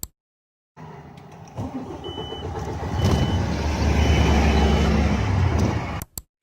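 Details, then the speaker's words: MAN TGA truck in −15 °C frost starts and dies within seconds; voltage drops, whole instrument cluster flickers, no diagnostic link to the engine ECU; cause found: one of four power wires to the engine control unit rotted inside its conduit. "видно що просідає напруга бо блимає весь щиток приладів не можна було діагностикою підключитися і показувало що немає зв'язку коншини блока двигуна"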